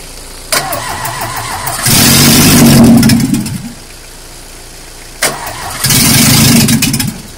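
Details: Peugeot 205 GTI 1.9 F20/14, first start after full rebuild (group A-prepared reinforced head, camshaft, balanced lightened polished bottom end): starter cranks, engine catches rough, stalls, cranks again and fires; normal first start.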